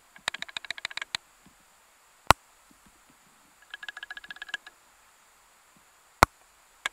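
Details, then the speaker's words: Simulated knock made by loosening a bolt, heard through chassis-ear microphones: bursts of quick sharp metallic ticks over a quiet background; loose bolt knock. "So what I've done is I've simulated a knocking noise on here, and what we're going to do is listen in."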